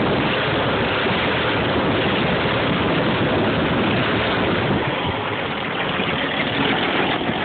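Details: CCKW engine at idle: steady, rough idle with a dull rapid knocking buried in the engine rumble, pointing to an internal engine knock.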